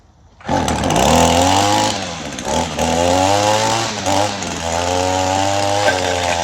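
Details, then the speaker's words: Gas two-stroke weed trimmer started after maintenance with a new fuel filter: catches and runs with a raspy buzz, revs wandering slightly; seems to be running normally. "In the gas tank to get it fired up, but I think it'll run a lot better now that I changed everything on it."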